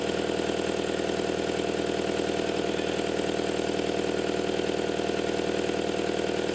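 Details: Caterpillar 259D skid steer with newly installed engine, after fixing a wiring plug communication issue: smooth, steady diesel idle at an even rhythm of about three beats a second, no misses or knocks; sounds healthy.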